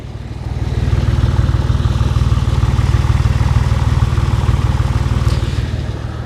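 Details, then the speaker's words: 2000 Porsche 911 (996), flat-six, heard at the tailpipe at idle. A deep, very even low pulse, clean with no metal noise whatsoever: normal idle. "Let's go check out how the exhaust should sound. Should be clear. No metal noise whatsoever."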